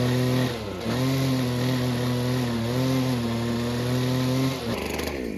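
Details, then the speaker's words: Old Husqvarna two-stroke weedwhacker with a newly replaced carburetor kit. A high buzzing note sags and wavers instead of holding clean revs as it runs rich. The choke was found installed the wrong way round. "I think the choke is the wrong way."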